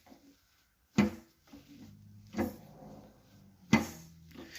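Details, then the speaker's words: Chrysler 318 V8 from a 1964 Dodge A100 van, run dry of oil and sludged, rolled over slowly by hand: three sharp, heavy clunks about a second apart; rod bearings probably gone. "so it got run dry oil if you roll it over you can definitely hear the bearings clunking"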